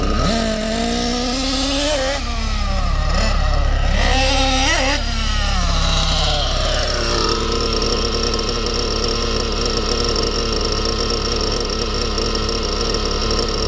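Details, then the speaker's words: Small RC nitro engine during tuning: revs and wavers, then settles into steady, even high-pitched tick over without stumbling; healthy idle. "this engine comes down to just your normal tick over just comes down nicely as you can hear"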